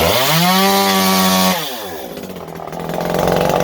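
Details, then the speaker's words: Stihl MS192T chainsaw, untuned. It screams high, then drops off and hunts at an uneven, stumbling idle before picking up; it isn't running right. "they're not running right today, okay, because I haven't tried tuning them. I just started them up and they didn't run right, so I'm like, nope, not fighting it, okay?"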